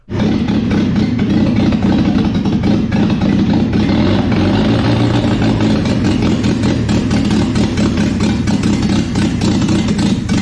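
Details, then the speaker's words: Land Rover Series 2 2.25L petrol engine newly rebuilt and fitted in a Series 1 107 chassis, first start after fixing a loose earth connection: steady, smooth, even idle with no misses or knocks. "what a pleasure to hear that engine raw back to life fantastic"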